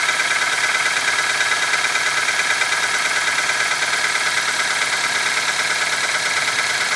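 A thin, fast, fairly regular ticking knock, roughly three per second, rides over a cold idle: engine knocking when cold.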